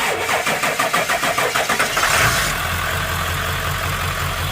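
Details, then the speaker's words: Ford F-250 7.3 Powerstroke diesel that had low oil and ran badly, restarted after about 20 miles on an additive: it cranks roughly three beats a second, catches cleanly at about two seconds and settles into a steady, even diesel idle. "But everything seems to be good."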